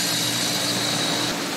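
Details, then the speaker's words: Heat pump outdoor unit switching back from defrost (cooling mode) to heating: loud rushing hiss with a high whistle that drops out near the end. Louder on colder nights around 20 degrees. Normal defrost changeover. "in the middle of the night when the temperature is 20 degrees you're gonna hear that you have been very very loud when was doing it and that's normal and now that units going back to proper way"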